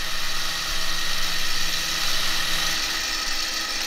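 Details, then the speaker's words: Bendix MG-1 Central Air Data Computer (analog mechanical jet fighter computer) after recapping, powered up with a pitot test set applying simulated altitude: steady fine whir of small spinning gears with light buzzing hum, servo gear train running normally. "Let's turn that on. Oh, yeah! Things are spinning in there,"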